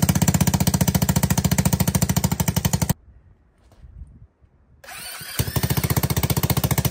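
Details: ATK 125 go-kart with a homemade welded muffler: loud, sharp, regular popping at idle with a raw chuff on each firing stroke. Muffler back pressure pushes fumes out the leak. Exhaust leak at manifold, and the owner expects fixing it will quiet it a lot.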